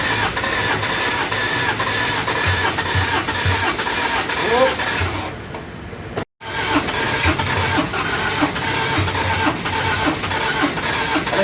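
Long steady starter cranking at about two beats a second, a short pause, then more cranking; the diesel never catches or runs.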